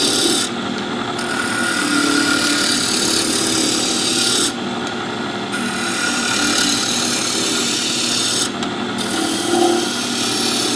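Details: Wood lathe turning a top, rpm raised, corners removed: steady even hiss of the gouge with no ticking, blank running round and cutting cleanly into strings.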